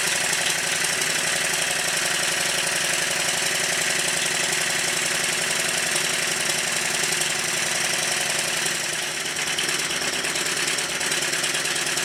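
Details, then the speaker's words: Newly built Stuart triple expansion model steam engine running in reverse during run-in, on a rubber mat: fast, even clatter of valve gear and pistons at a steady rate, no knocks or misses; runs smoothly. "after running the engine for quite a while in both directions it's feeling a whole lot better because it's now running in or as you call it in the USA breaking in either way it's running a lot better"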